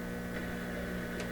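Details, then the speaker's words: PYE 39HC shortwave receiver, shortwave band with volume turned up: constant low buzzing hum with no station, unchanged throughout; mains hum in the audio, cause not yet found. "turn it up so that hum is still in there"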